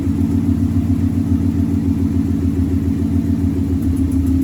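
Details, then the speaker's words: V8 at idle with code P0352: an uneven chuffing beat where a cylinder drops out now and then, caused by a loose ignition coil plug wire connection; the fix is to repin or replace the Molex plug. "And now it's missing. That's what's happening. It's this wire, the plug is loose."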